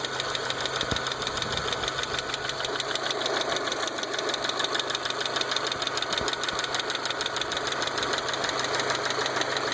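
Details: 1.8T engine at idle: light, fast metallic ticking about two per second, clear and regular, over a steady idle; knock began recently, source not yet pinned down.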